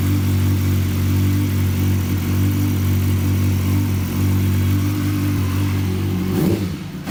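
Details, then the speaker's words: 2005 Kawasaki ZX-6R four-cylinder that lost power and sounded like three cylinders at a trackday; after repair, brief start catches smoothly and revs cleanly without misfire, all four exhaust headers getting warm, so fourth cylinder firing again. "Ok, meer moest ik niet weten Dat wordt heel snel warm Een paar secondjes draaien is voldoende om te weten of de 4e cilinder meedraait"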